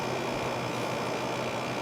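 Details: Fedders wall air conditioner after oiling dried-up motor bearings and cleaning, cover on: steady, even hum and airy fan rush with a faint constant tone, no rattles or squeals; running smoothly and healthy.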